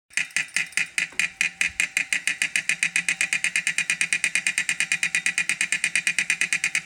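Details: Wahoo Kickr 2018 bike trainer: sharp, evenly spaced clicks about 105 a minute keeping time with the flywheel; a repeating clunk inside the trainer, cause unknown.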